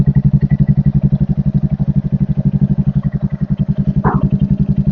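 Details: Royal Enfield Hunter 350 that would not self-start, fixed by installing a battery (charging 13-14.3 V running): steady, even single-cylinder idle with a regular beat and no knocks or misses.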